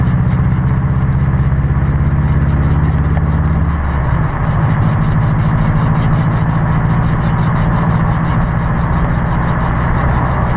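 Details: 2006 Subaru WRX TR front passenger wheel while driving; low rough grinding growl under the engine, no visible wear, no clunk when turning; a bad wheel bearing, noise gone after replacing the entire assembly.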